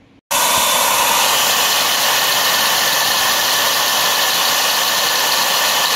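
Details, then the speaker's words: Holset turbocharger off a Cummins engine, spun by hand on the bench: steady rough hiss with grinding as the shaft turns; shaft has up-down play and the wheel runs crooked, suspected worn bearings. "ये शाफ्टिंग out घूम रही है और खुर खुर की आवाज आ रही है"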